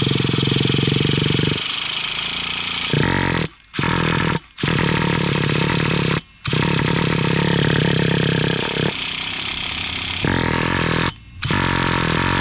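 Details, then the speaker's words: Brand-new Traxxas Revo 3.3 nitro engine on its first start with a starter box; it buzzes in bursts and cuts out several times before it keeps running; hard starting at first, before quarter-throttle break-in of the first tank. "hmm so as you guys can see i finally got it going um at first it was like it didn't want to start"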